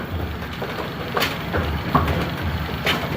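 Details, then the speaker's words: A2 bowling pinsetter on lane 2, after the cycle linkage components were repositioned: the machine hums with a few light clunks, then comes out of 180° and stops to wait for pins with no banging; normal pinsetter cycle. "Let's watch it come out of 180°. There you go. That's going to do it."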